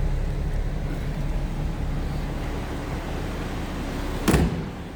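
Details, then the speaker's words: 1925 Pierce-Arrow Series 80 Opera Coupe, about 100 years old, inline six-cylinder with manual transmission: fires right off after restarting past a touchy ignition switch, then idles with a steady, even low rumble, no stumbles or knocks, and a door slam near the end. Normal idle. "Once it's running, maybe seems to run smooth. Fires right off. Just got to kind of go through the sequence. It's an old car."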